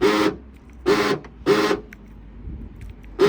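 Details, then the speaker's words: VW Caddy side sliding door, locking and unlocking: harsh grinding buzz in short bursts of about a third of a second, now constant. The locking mechanism component inside the door is failing and the fix is to replace it. "you can hear, this is to do with the component inside the door, the locking mechanism. Okay, it does every now and again, well, it's constantly there now."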